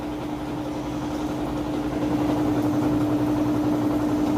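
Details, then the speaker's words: 3-year-old Whirlpool HE washer on its final high-speed spin with the drain pump running: steady, even hum with a constant tone, no thumping or grinding; normal, smooth spin. "Nice, fast, smooth spin cycle there."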